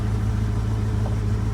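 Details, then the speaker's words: 1966 Ford Mustang convertible V8 idling a couple minutes after cold start to bring up temperature before test drive: steady even low burble, no misses or knocks; normal idle. "so going let her idle a couple minutes get up the temp and away we go"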